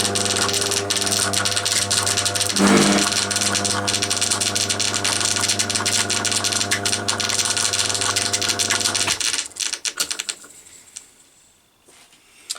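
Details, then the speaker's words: Crompton Parkinson 180 W single-phase induction motor, newly wired and oiled, pulley removed: steady hum with a light uneven rattling tick about four times a second; internal knocking rattle, source end unknown, cause unconfirmed. "might well be something to do not sure which end that noise is coming from"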